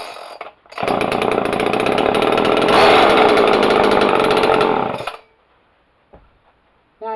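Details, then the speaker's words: Homelite XL chainsaw after replacing a blown-up spark plug: fires and holds a strong, even two-stroke snarl for about four seconds, then cuts off cleanly; runs smoother, choke still needs fixing. "that's better. Rolls on there a lot smoothly."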